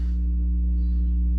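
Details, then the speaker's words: Steady low buzz at mains frequency with overtones from a Rockville RPA9 800W two-channel amp (unbridged, one channel, SVS bypassed) driving front tower subs; hum arises between the main Marantz amp and this amp, owner suspects different mains circuits. "as you can hear I'm still getting a hum just through that just with the one cable going right to it so the hum must be coming between the main amp and this amp"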